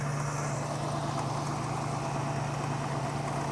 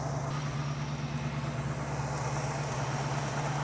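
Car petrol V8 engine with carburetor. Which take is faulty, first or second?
second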